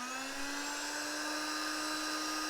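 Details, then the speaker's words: 12 V air pump motor on a barrel-plug adapter, drawing about 510–520 mA: a high steady whine climbs slowly in pitch as the outlet is covered and the load drops, so the motor speeds up. "so essentially when we when we remove the load on the motor it's gonna put the motor gonna take more power"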